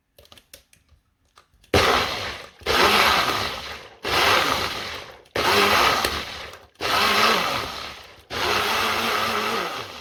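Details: Nutribullet blender: five short bursts of steady high motor whir with no grinding or rattle between them. The bearings sound smooth and healthy, a normal run.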